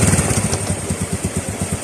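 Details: Honda RS 125 carb-type single-cylinder engine at steady idle: even pulses, roughly seven or eight a second, with a light rattle on top. Normal idle.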